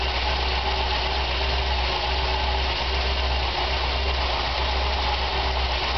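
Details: Chevy 454 big-block V8 on its first start: a deep idle with an uneven, loping beat and irregular stumbles; rough idle, cause not yet clear.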